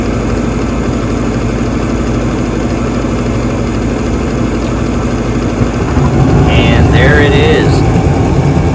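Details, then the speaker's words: Bryant/Carrier gas furnace after igniter replacement: steady blower hum, igniter glowing, then soft whoosh around six seconds as gas lights and burner settles into even roar; normal burner ignition. "again once it gets to a certain temperature as the gas travels over it it will ignite and there it is it is beginning to glow and we're just patiently waiting for the gas to be introduced"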